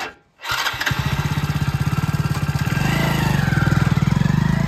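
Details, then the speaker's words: Hero Splendor BS6 single-cylinder bike that stalled after riding a short distance, blamed on a jammed canister box, with its pipe now removed. The starter catches within half a second, then there is a steady, even idle. This is a normal start. "On করে আবার bike start করে দেখাচ্ছি। এই দেখো bike start করে দেখালাম।"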